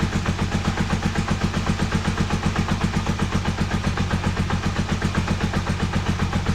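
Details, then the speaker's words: Honda CB250N Superdream 250 motorcycle, started on full choke after carb work (sync, idle screws): even steady low putter; idle dropped noticeably, now a touch too slow; previous fast idle thought to be the problem. "idle is a lot slower. In fact, it's too slow. It's a little bit too slow, so I think that was the problem."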